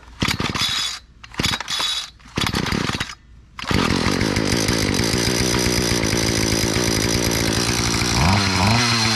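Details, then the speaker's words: Dumpster-found garden tiller first start with strong spark, after oil was cleared from the cylinder: a few sputtering pulls and false starts, then it catches into a fast, uneven, rough buzz. No compression issues; pull was probably just tough. "Kind of sounded like it went. Sounded kind of bad."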